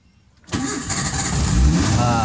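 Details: Zebra Espass cold start after sitting three days, choke pulled fully and gas pedal pressed: catches immediately without long cranking and rises into a steady full idle on choke; normal cold start.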